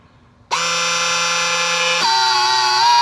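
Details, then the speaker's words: 2015 Honda Civic rear electronic parking brake caliper motor retracted manually with a battery and two wires before pad/rotor replacement: steady motor whine, then pitch drops as it reaches full retraction; normal operation. "okay so right now it's retracting meaning the electronic parking brake is disabling and you will hear the difference in noise when it's completely retracted"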